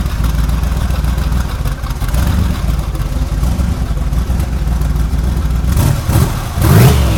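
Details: Quad-turbo car just fitted with a 115–120 A GM 3800 alternator on an adjustable spring tensioner, checked for belt squeal: catches, runs with a deep, even rumble, revs up near the end, and no belt squeal; normal running.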